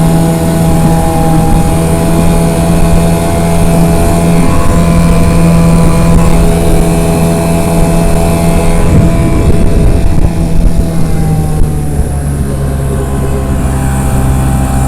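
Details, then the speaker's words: Late-1980s (about 1988) 8 hp Mercury two-stroke outboard with a rebuilt carburetor, on a 10ft Achilles dinghy of about 500lb, at full throttle: loud buzz, then pitch jumps as the prop cavitates and over-revs near 16 mph top speed. "So speed's in miles per hour, and one thing the boat does do is once it gets up on plane and really gets going, the prop starts to cavitate, gets a bunch of air underneath it, and starts to over rev. So that's limiting top speed."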